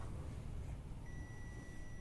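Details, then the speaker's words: Steady high continuity beep from a multimeter between VA/VS supply and ground on an LG 42PA4500 plasma TV board, indicating a short from faulty IGBTs or other components dropping the supply. "अभी देखिए, अभी भी beep आ रही है, इसका मतलब हमारा जो ये बोर्ड है वो जो इसके IGBT वगैरह हैं या फिर कोई और कंपोनेंट है वो ख़राब है, जिसकी वजह से इसकी जो सप्लाई ड्रॉप हो रही है।"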